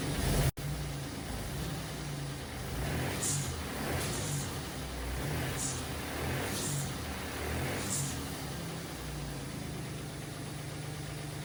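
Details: MGB GT with a swapped Jaguar AJ30 V6, restarted after the first startup and leak, coolant and oil checks: a low idle with a lumpy, uneven beat and occasional hissy surges. It runs better but is still not smooth.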